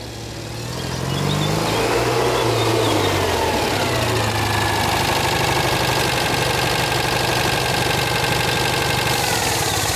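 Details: Citroën 2CV flat twin with newly fitted engine, on the driveway without bodywork, catches and settles to a fast even idle, steady crisp revs, no knocks; carburettor jetting thought entirely wrong, still on old jets. Normal running.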